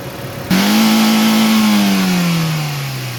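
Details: Toyota Corolla after ignition coil replacement: a single clean rev blip climbs smoothly and settles back without stumbling or popping; engine revs freely, no misfire after repair.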